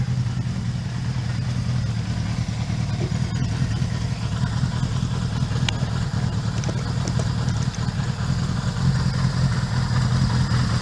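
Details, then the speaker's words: 1977 Suzuki GS550, 24,000 miles, warmed up after two years stored: low, even burble at steady idle with no misses, knocks or hunting; running better, normal warm idle. "you need the same two three minute warm up every time on this bike so now better running sounds good"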